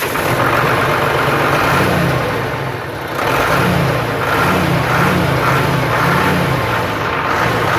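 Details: Hino truck Euro diesel, start after refitting the crankshaft oil seal and refilling coolant: it settles into a steady, even idle with a smooth low throb and no knocks or misses; the repair is successful.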